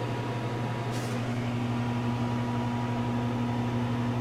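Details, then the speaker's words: 33-year-old microwave on a 25-second run after magnetron replacement, plus new fuse, diode and capacitor; about 990 W draw versus 275 W with the bad magnetron; steady even mains hum, faint fan whir, no crackle or buzzing; normal running. "Now that it's all good and in good working order again, I'm going to see what it does now. We'll do 25 seconds. Oh, that sounds awesome."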